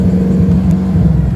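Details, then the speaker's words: Mustang driving on the road: deep engine drone with an uneven, stumbling, skipping beat of misfiring cylinders; engine misfire. "even there so you can hear it missing misfiring cylinders"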